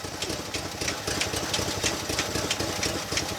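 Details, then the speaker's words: 1965 Chevy C10, 283 small-block V8, at idle: light, quick ticking about three times a second over a rough idle. A fuel pump tick was suspected but the pump appeared good; a lifter tick is suspected, not confirmed. "I hear clicking Dakota I do here tapping as well what are your thoughts"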